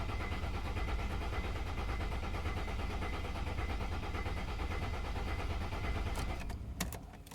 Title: ML 270 CDI 2003, no start.